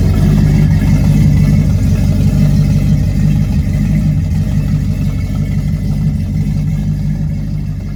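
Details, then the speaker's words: Lifted Squarebody crew cab truck, completed restoration project; deep, steady rumble with an even beat and no ticks or knocks, easing down smoothly: normal running. "every gauge works on the dash I'll go ahead and fire it up so y'all can hear it run"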